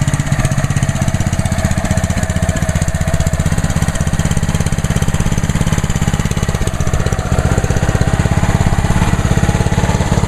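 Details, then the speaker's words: Brand-new Ryobi 3100 PSI pressure washer, first start on a 91-degree day, choke on; small single-cylinder engine at low, perfectly even idle with steady firing beat, idle-down feature holding it at idle; quiet and healthy. "Oh yeah, pretty quiet. See, like I said, with that idle down, the engine's running at idle."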